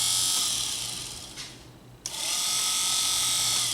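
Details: 2005 Chrysler Sebring in for overheating and coolant loss, cooling fans reported inoperative: fan powered directly with a test light on the relay circuit gives a steady airy whir that dips and spins back up evenly, no scraping; fan motor runs normally.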